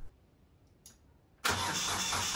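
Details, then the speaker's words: Tractor started after two new fuel return lines were fitted, replacing lines mice had chewed, to check for leaks under pressure. Catches at once and settles into a steady, even run with no stumbling; no leaks found. Normal start and idle. "so the last thing we need to do is make sure it's not leaking anywhere so let's start it up put it under pressure see what happens"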